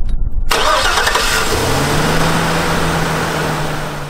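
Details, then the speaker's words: Jump start with a Foxpeed 2500A portable jump starter on a three-quarter-ton Chevrolet Silverado 2500HD with a 6.0-liter V8: brief cranking, then it catches quickly and settles into a smooth, steady idle; healthy start, one of four starts off the pack. "all right guys well you saw it work um i actually started my truck four times off the battery"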